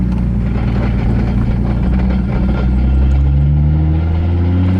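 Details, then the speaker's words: 2JZ big-turbo Lexus IS300 under load with rough gritty crunch and clutch chatter beneath rising drone; manual transmission failed mid-run, third gear gone. "I don't think I dare go into third though. That's the one that went to hell. Yeah, third gone."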